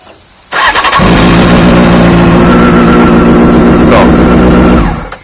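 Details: 2001 Honda CBR600 F4i after bank angle sensor turned upright and ignition reset: short crank, engine fires right up and runs smooth and even before shutting off; normal start.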